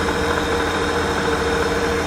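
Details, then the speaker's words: 1998 Holden VT Commodore wagon, 3.8 litre V6, automatic, 310,000 km, no oil leaking. Even, steady idle with no misses, ticks or knocks, pretty smooth: a healthy idle. "and that's under the hood it's a 3.8 liter v6 I was pretty smooth"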